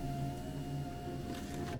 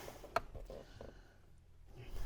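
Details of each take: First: Land Rover Freelander 1 front door after fitting a replacement electric window motor and regulator on the originally broken door: smooth, even motor hum with a steady tone, then a clean stop, no strain; normal power window operation. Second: Land Rover Freelander 1 front electric window after regulator refit, test run before final tightening: faint motor whir with scraping and sharp clunks near end of travel; glass binding, dirt in the channels suspected, improving with repeated runs.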